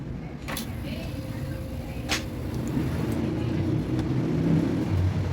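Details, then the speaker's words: Condura air conditioner after wiring the fan and compressor back in: steady low hum with an even rush of air, drawing 2.8 A; fan and compressor both running normally. "ayon guman na yung ano yung pan nio May hangin na rito yan Ito humihigop na siya Ito may lumalabas ng hangin"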